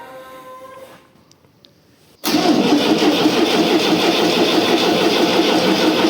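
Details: Tractor diesel, first start after engine repair; even starter churning, about three turns a second, no firing; cranking no-start until diesel bled through injection lines, starter also worn.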